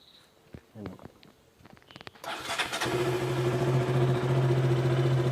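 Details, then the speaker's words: KTM RC 200 single after reseating the loose part: a few clicks, then it fires promptly and settles into a steady idle with no RPM hunting or misfire. Before the fix it stalled at idle and when clutching, with a spark-ticking sound. "ഇപ്പോൾ RPM വേരിയേഷനൊന്നും കാണിക്കുന്നില്ല സ്റ്റാർട്ട് ചെയ്തിട്ടും. ഇതിന് മുമ്പ് RPM നിൽക്കുന്നില്ലായിരുന്നു പ്രോപ്പറായിട്ട്. Variation issue ഒന്നും കാണിക്കുന്നില്ല."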